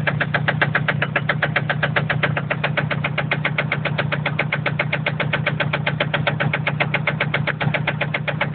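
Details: Toyota MR2 with a 2.0 naturally aspirated 3S-GE petrol engine, idling. A sharp, rapid, evenly spaced knock sounds over a steady low hum: engine knock, with the owner seeking help.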